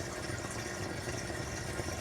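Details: Reef aquarium protein skimmer running with its air inlet tubing removed: steady watery gurgling over a low pump hum, about 58–59 dB versus 52–53 dB with the tubing connected.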